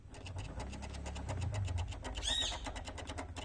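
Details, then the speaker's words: Honda Titan 160 camshaft removed from the engine, its pitted, worn bearing turned by hand giving quick dry clicking; owner first changed the cam chain tensioner spring without curing the noise; bearing to be replaced. "Ele está escariado, galera. Então vou substituir o rolamento aqui, ó, e cessar esse barulho aí, ó."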